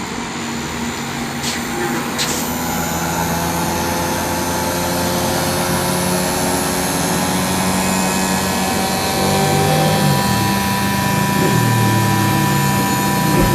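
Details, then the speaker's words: Inverter air conditioner outdoor condensing unit running at high compressor speed; steady fan rush over a low compressor hum that rises slightly and holds even, no rattle or knock; normal operation mistaken for a fault. "ปัญหาที่1ก็คือเสียงจากการทำงานตามปกติของเครื่องนะครับ"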